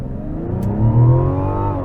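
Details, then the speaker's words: 2024 Mazda CX-90 3.3 Turbo S inline-six floored: the engine note climbs with a heavy low droning boom reverberating through the back of the cabin; cause unknown. "when you have pedal down uh from a launch going through first through third gear you get this weird reverberation going through coming through the back of the cabin not sure what's going on there"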